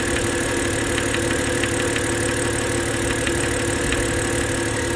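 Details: BMW N52 engine at idle: steady idle with a light, fairly regular knock about twice a second riding over the engine; knock present, cause not identified.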